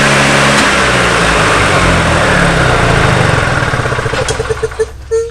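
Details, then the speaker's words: Old EZGO golf cart engine after carburetor cleaning, which previously ran only on full choke: now runs steady and even without choke, with no surging or stalling, then winds down with a few last puffs at shutoff. "No choke, runs. Alright, absolutely beautiful."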